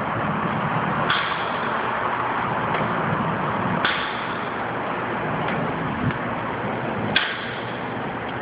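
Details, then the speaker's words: New Dodge RAM in a parking garage, hood open: three single sharp clicks about three seconds apart, one per key turn, with no cranking; a no-crank click at the starter, truck started after about the tenth try. "are me turning the engine over. Started up after about the 10th one."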